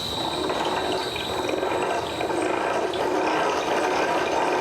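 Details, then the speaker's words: HTC 420 triple-head variable-speed floor grinder switched on in forward at slowest speed: steady, even whirring hum with light rhythmic ticking, no surging or knocking; normal running at low speed. "Click it over to forward. And as you can tell, it's on now. It's on the slowest speed."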